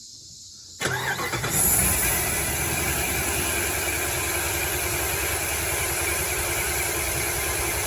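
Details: 2006 Dodge Ram 1500 Mega Cab, warm, after a new fuel pump that did not fix the problem: with a coil plugged back in it starts into an uneven, lumpy idle with a faint stumble; that coil keeps getting fried. Misfire suspected.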